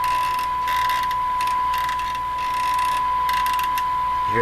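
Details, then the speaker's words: Hallicrafters TW2000 World Wide radio during band 5/6 and long-wave alignment: a gritty ratcheting grind under a high whine while tuning; the tuning mechanism uses a plastic part. "terrible sound they're using a plastic plastic thing in this education that's okay"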